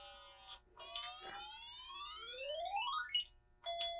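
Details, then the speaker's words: Game Boy Color after replacing the three speaker capacitors, sound test: crisp undistorted chimes and rising sweep tones with no buzz or crackle; speaker sounds healthy, better than usual. "That's better than I've heard one in a long time."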